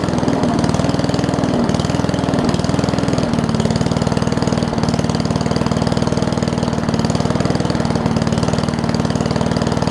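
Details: Old Murray push mower with a Briggs Classic single-cylinder, fuel tank swapped from another mower and oil topped off. It makes slow, lazy thumping at a low idle that never picks up speed, apparently from a missing governor spring.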